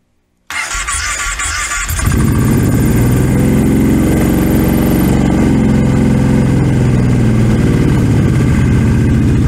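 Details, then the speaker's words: Cheap four-wheeler ATV started in neutral with the clutch cover off after a choke repair; a quick crank catches at about two seconds into a loud, even idle through an open-sounding exhaust. Normal start and idle; separate clutch problem makes it creep forward. "Well, the good news is our little repair that we've made to the choke seems to be working just fine. It starts and runs pretty good."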